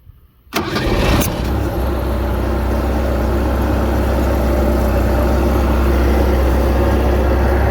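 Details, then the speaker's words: 1989 VIP speedboat with OMC Cobra outdrive, first start in about five years: short crank, then catches and settles into a steady, even run with no misses; normal running. "here I'd call that a win cuz she's running today"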